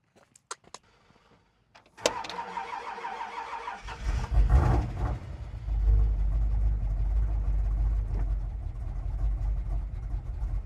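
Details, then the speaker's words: Ford F100 with a healthy cam V8, cold day: starter cranks evenly about two seconds before catching into a lumpy loping idle; hard starting, owner suspects timing is out. "So, as you can probably hear, it's got a nice healthy cam in it. Um the timing, I think, is out. It does not like to crank."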